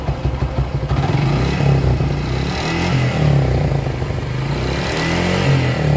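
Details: Suzuki Gixxer SF single-cylinder revving up and down: dry metallic clatter over the exhaust note; source of the rattle unclear.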